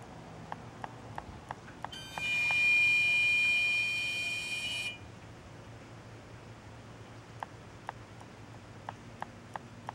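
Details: Car parked in a garage two hours after driving, engine off: high electronic buzz about three seconds framed by faint sharp ticks, one of two longer occurrences from the engine compartment; cause unexplained.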